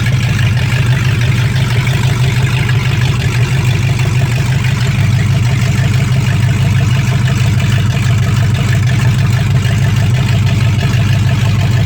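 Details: 1965 Mustang fastback, 289 V8 with Tri-Y headers, first start after sitting 44 years, freezing cold day: loud, steady, even low rumble with no knocks or misses. Normal idle with good spark; only a dripping carburetor needing a rebuild.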